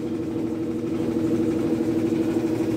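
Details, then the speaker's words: Machine running with a steady mid-pitched hum and a wavering tone on top; abnormal noise from below the motor, cause unknown. "o Bismarck ele tem um barulho estranho lá embaixo do motor eu nem sei o que é"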